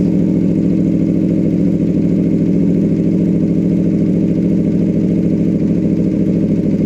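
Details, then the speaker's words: 2014 Aprilia RSV4R at idle with exhaust servo flapper valve actuated closed after running open: steady, even beat with muffled, subdued exhaust note, noticeably quieter than open; valve stuck closed had caused major power loss. "You guys can hear the difference there, but it's definitely a noticeable sound difference closed compared to open."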